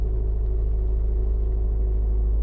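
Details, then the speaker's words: 2010 Subaru Forester 2.5 with replacement JDM engine, normally crank no-start below -12°C: starts perfectly and idles with a steady even low rumble, no knocks or stumbles; fault didn't appear; normal idle. "they said it was if it was below freezing there was a problem but maybe it's warm enough today not to act up as you could hear it started perfectly fine"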